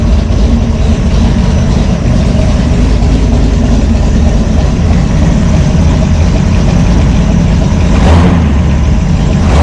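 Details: V8 with a Brawler 650 CFM double-pumper carb, timing 16° initial and 36° total, idle mixture screw shut fully in: a deep, uneven idle that lopes and stumbles as vacuum drops. Rough, overly lean idle mixture.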